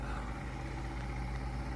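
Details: Johnson/Evinrude outboard idling, then shifted into forward: low, steady burble with an even beat, no knocks or rattles; primer bulb stays about half firm; running good, normal idle.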